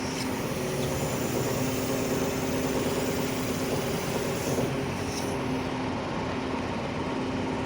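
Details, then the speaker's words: Piston-type hydraulic pump making an abnormal sound during operation: a steady droning hum with a hard tonal whine over the engine as the boom works. The hydraulic pump is the source of the noise. "this kind of sound this sound so this hydraulic pump is the main problem if you have abnormal sound in your hydraulic system"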